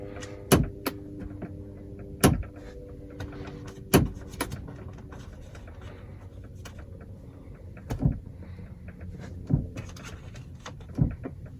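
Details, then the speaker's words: 2004 Lincoln Navigator rear HVAC, when switching hot to cold: sharp clicks with short buzzing ring every second or two, vibrating through the car, seeming to come from the roof; worn rear mode/temperature door actuator skipping. "We can hear it flickering. So I don't know if you can hear that. So when I turn it from hot to cold, it vibrates through the whole car. Almost sounds like it's up in the roof."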